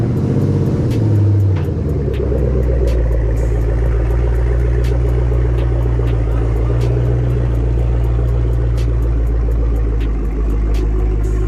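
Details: Chevrolet Camaro ZL1 with an LSA from a burnt Cadillac CTS-V, cold start after a transmission oil change and clutch bleed. Deep, even V8 burble at a high cold idle, steady with faint ticking. Healthy start; smoke guessed from oil in the cats.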